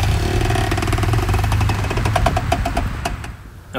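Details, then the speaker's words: 2000 Chevrolet Blazer ZR2 with G80 locking rear differential, driven slowly in a parking lot turning hard: slow heavy grabbing knocks over a low rumble; rear axle binding on tight turns, cause unknown, brakes being replaced first. "it's still doing it and it's still really pronounced if I'm in a parking lot going slowly especially if I'm like turning the wheel hard you'll hear it in the it sounds like the wheels like grabbing grabbing turning grabbing turning"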